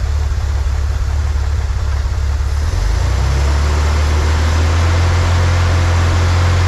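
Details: 1963 Corvair engine after vacuum leak fix, new PCV valve fitted: even low idle hum settling steadier and fuller with no hunting or misfire; idle mixture at the sweet spot, idle speed still slightly high.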